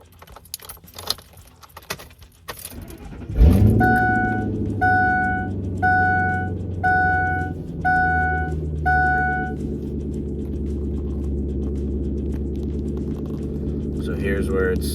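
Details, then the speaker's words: 2002 Ford F250 5.4 L Triton with rough, surging idle (IAC valve suspected): starter cranks, engine catches and settles into a steady smooth fast idle with key chimes early; normal cold-start high idle before dropping to regular idle. "doing that high idle because it's a cold start. So, we'll just go ahead and wait for it to get down to that other idle."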